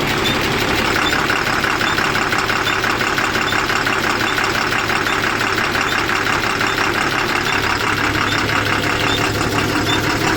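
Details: Tata 3118 BS4 Cummins diesel with SCR, after injector repair and refitting: fast idle with an uneven stumbling beat about three per second, a brief miss just after starting; earlier knocking and smoke.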